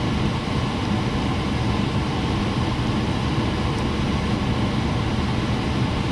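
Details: 1989 Carrier furnace on a service call (fault code 1-3), after replacing the blower motor capacitor and setting the fan to auto: smooth, even rush of air over a low steady hum, no squeal, rattle or surging; blower running normally.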